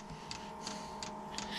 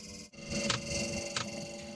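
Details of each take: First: Off-grid diesel cabin heater after cleaning, new glow plugs and a new fuel pump: crisp ticks about three per second over steady fan hum. The dosing pump is clicking normally while priming fuel through the new fuel line; glow plug light still on. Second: Off-grid diesel cabin heater after cleaning, new glow plugs and a new fuel pump: at startup a steady mid-pitched hum with a sharp tick about every two-thirds of a second. The hum is unfamiliar; owner wonders whether leads were connected the wrong way round.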